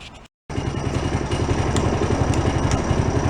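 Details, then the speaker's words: Idle after an easy cold start of a long-stored amphibious vehicle on old alcohol-free racing gas; even steady putter, about four pulses a second, unbroken; healthy idle. "Well, that was an easy cold start. You're gonna stay running, but the battery held up pretty good too."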